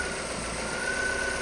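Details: Vauxhall Astra salvage rebuild showing fault codes 59 and 24, first start attempt after the battery charged overnight: engine fires and holds a short stretch of steady, even idle with no knocks or misses.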